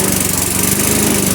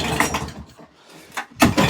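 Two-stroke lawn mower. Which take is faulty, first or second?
second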